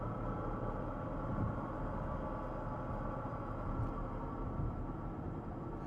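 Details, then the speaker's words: 2014 Porsche Cayenne driving and coasting off throttle, with a steady low driveline drone and a faint "ghostly" tone on top. The tone differs between acceleration and deceleration and goes away when load is taken off at highway speed. Suspected axle, bearing or transmission, not yet diagnosed. "Deceleration is a different tone. And when you get down to about one one and a half when you're on the highway or if you take pressure off of the drive system, it goes away. like something's grinding. It's not gr It's not a grinding noise. It's actually like a uh ghostly sound."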